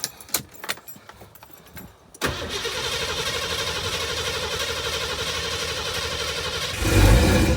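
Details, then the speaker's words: 1990 Ford Mustang crank-no-start, after distributor replacement; several seconds of cranking, then catches cleanly and settles into a steady idle with a brief rev blip: normal start and idle. "And then there it goes, baby. We are running."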